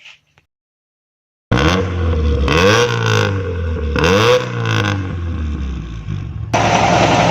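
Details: After a quiet start the engine revs up and down cleanly twice, smooth rise and fall with no stumble, sounding healthy; normal revving, in a clip on a secondary diaphragm vacuum leak and a missing choke opener linkage that caused hesitation on acceleration.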